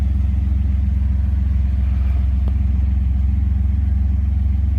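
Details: Random engine misfire: a loud, low, pulsing idle with a choppy, lumpy beat about four times a second.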